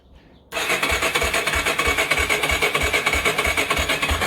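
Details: Yamaha Warrior ATV being restored, first start attempt: starter spins the engine at a steady three beats a second with an even rasp and no catching. Fuel not yet on, run position, fresh oil, rebuilt carb. Healthy crank, air from exhaust.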